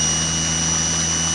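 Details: Salvaged washing machine brush motor on a variable supply, voltage turned up: smooth, steady high-pitched whine with a bright airy roar and no knocks or scraping. Running fast and healthy.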